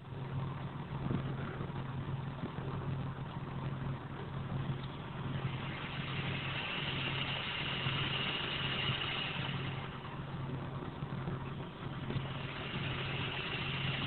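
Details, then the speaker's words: Prusa MK3 3D printer print-head fan on three-wire servo lead, covering removed and wires twisted: fan whir drops out and returns as the lead moves; broken wire cutting fan power, fixed by splicing in new wires. "I will move the wires twist them back and forth and you can hear the fan cut on and off"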